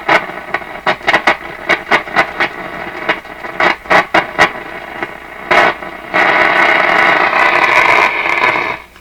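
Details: Nordmende Norma Luxus tube radio on AM broadcast band, volume full; sharp irregular crackles and pops cutting in and out, then steadier hiss; intermittent contact, probably a tube socket.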